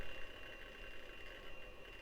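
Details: Late-1990s Compaq Presario 4240ES desktop under test: low wavering groan with faint rattle from a struggling drive, typical of a failing hard disk.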